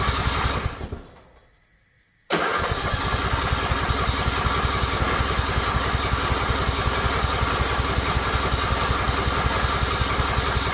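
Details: Riding mower, in park with choke on, starter cranking steadily for about nine seconds with no firing; the engine acts like it wants to start but never catches, cause unknown.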